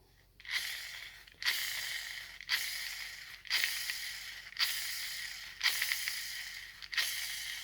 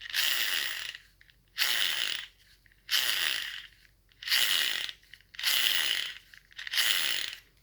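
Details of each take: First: Gel blaster gearbox spur gear spun by finger after fitting bearings and shims: smooth, hissy whirs fading evenly, not rubbing on the bearing housing, with no grinding heard. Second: Gel blaster gearbox (SCAR build) turned by hand with spur gear shims deliberately misplaced: rasping, gritty grinding bursts about every second and a half; gear grinding from incorrect shimming, gone once shims are put back correctly.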